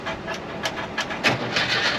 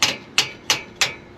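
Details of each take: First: 1968 camper bus engine after freeing a stuck valve, new pushrod and patched pushrod tube, started on battery charger boost: uneven stumbling run with irregular sharp pops; rough running, owner suspects old points or too much fuel from the carburetor. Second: 1968 bus engine with a known stuck valve, valves tapped lightly with a hammer to check: four crisp, evenly spaced metallic taps ringing cleanly as this valve springs back freely.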